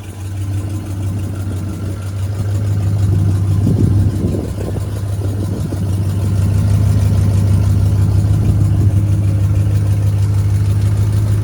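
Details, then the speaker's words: 1973 Chevrolet G20 factory camper conversion van, low even V8 idle with a faint puffing tick and a mild rise in revs; slight exhaust leak left unrepaired. "as you can hear the truck has a slight exhaust leak decided to leave it alone"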